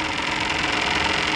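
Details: Domestic hot water backup meter mounted backwards, water flowing through it: busy high-pitched whirring rattle as the meter runs in reverse; running backwards destroyed it. Meter mounted backwards.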